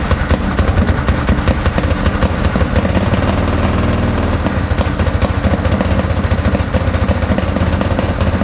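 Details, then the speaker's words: Salvage 2013 Arctic Cat Wildcat 1000 X at idle after new spark plugs and fresh fuel; lumpy, uneven idle with irregular stumbles, missing as if on one cylinder; smooths somewhat around 2,500–3,000 rpm, cause unknown. "so i've been trying for the last hour to get this thing going running just on idle um it seems to be missing like almost on one cylinder i've changed the spark plugs changed out the fuel just to be sure"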